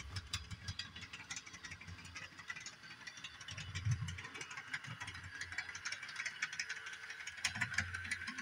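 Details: Repaired Bachmann Doodlebug model motor car at full throttle on 18-inch radius track; uneven rattly clicking and clunking under faint motor hiss, no steady rhythm, sounding like cracked drive gear; owner suspects curve radius.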